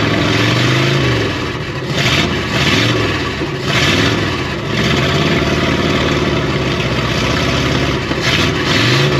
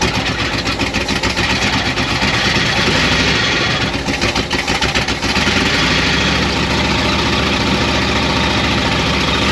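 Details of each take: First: 1972 Oldsmobile 98 V8 revived after sitting, throttle return reconnected and ignition advance added: revs up and drops back cleanly with an even, crisp beat, firing on all eight in correct order; slightly too much advance, to be backed off. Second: 1972 Oldsmobile 98 V8 revived after storage and jump-started: the idle lopes with irregular stumbles and skipped beats. Misfire cause not yet found; plugs slightly fuel-fouled.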